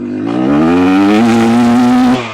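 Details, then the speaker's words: Rieju MR300 Ranger two-stroke at about 50-60°F, accelerating from needle onto main jet: revs climb cleanly, then pitch flattens and stalls out at full throttle instead of screaming on; sounds good until full bore, too-rich main jet bog. "Oh, that was bad. You guys could hear that, right? Went from the needle onto the main there. It sounds good until I get on full bore."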